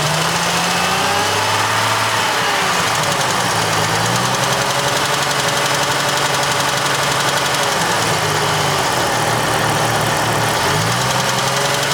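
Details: Jeep Cherokee XJ 4.0 six-cylinder petrol with 200,000 miles, head overhauled 40,000 miles ago, revving up and down. A light, fast tick appears only around 1500–2000 rpm, cold and warm, seemingly from the right side of the engine. Manifold gaskets are replaced and there are no exhaust leaks; the cause is unknown.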